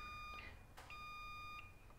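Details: Western Digital 2060-701444-004 hard drive PCB: two clear high multimeter continuity beeps, one short and one longer, when probing a capacitor to ground; capacitor shorted to ground.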